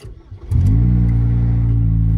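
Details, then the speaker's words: 2006 Saturn Vue 2.2L inline-four on test drive: deep, loud booming drone swelling as revs climb, too throaty for stock; leaking rear muffler, later replaced. "here you can hear that exhaust clear as day"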